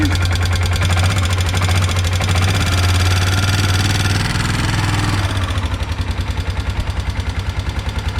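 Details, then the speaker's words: Kawasaki single-cylinder 4-wheeler (ATV) rough idle with slight throttle: sharp, fairly even ticking about three per second, louder than ever before; top-end tapping, cause unknown, owner suspects oil flow restriction and plans to check the oil filter. "Not sure if you can hear that on camera, but this thing's never tapped that hard. Something's not right."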